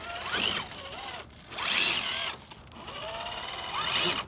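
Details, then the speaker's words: Axial SCX10 III crawler with Spektrum SX107 servos, two-speed transmission, running in first/second gear outdoors: high whining motor and gears rising and falling with each throttle burst, with an unusual different gear noise; cause unclear; transmission gear noise. "it doesn't have so much of a flick but it's got a different noise in it"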